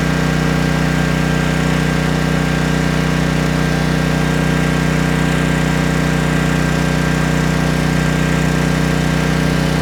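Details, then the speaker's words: Trash-picked 2005 Craftsman 5600 W generator, 10 HP Briggs & Stratton, heat gun load, choke off: a steady hum at about four beats a second, mostly even with a faint unsteadiness; the carburetor may still need cleaning. "You might hear that sputtering. The carburetor might need some more cleaning."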